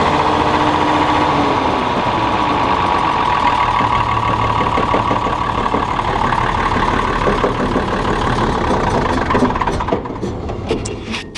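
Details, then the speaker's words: John Deere combine diesel running steady, with a new spring and pulley fitted after a bad bearing. An uneven knocking, about three a second, comes from the degraded, too-short belt bouncing against the case floor. Worn belt slapping. "The belt is quite degraded and it's too short. If it was up here, that would make that noise, but it's bouncing against the floor of the case there at the bottom."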